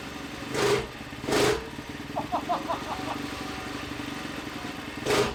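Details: Newly built Tillotson 236R two-stroke engine on a dyno: a few sharp cord pulls, then it catches easily and holds a steady, crackly idle; normal start and idle.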